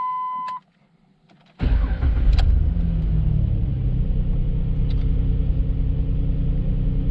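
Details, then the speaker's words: 2006 Jeep Liberty 3.7L after rough-idle repairs, cold start at about 40-44°F: chime, crank, fire, then a steady, slightly raised warm-up idle (normal about 600 rpm); check engine light off. "engine lights off that's about 40 44 degrees out today so I think it's gonna ride on a high idle just a little bit here while it warms up normal idle should be right around 600 rpm"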